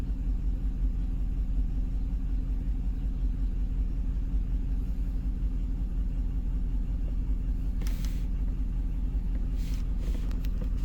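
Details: 2005 Cadillac Escalade, 6.0L LQ9 V8 parked five years, P0300 random misfire, idling after swapping injectors 2 and 6: steady low rumble with a lumpy beat, two to three stumbles a second; still misfiring on cylinders 2 and 4.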